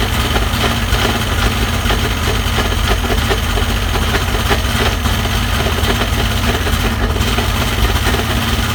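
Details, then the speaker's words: Rebuilt 2000 Mercury 210HP 2.5 V6 two-stroke in Sea-Doo Speedster, compression 123–127 on all cylinders, about 72°F outside: steady even low burble, no knocks or misses; idling cleanly. "But it's running. It's awesome. I think it sounds good."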